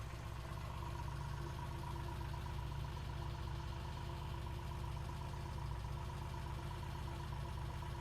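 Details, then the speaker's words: 1968 Triumph T100C twin idling just after a cold start: steady, even low beat with no knocks or misses; sounds healthy, good oil flow, no oil leaks, charging okay with headlight brightening. "This sounds pretty good. Seemed to be charging, throwing a good bloom on the wall."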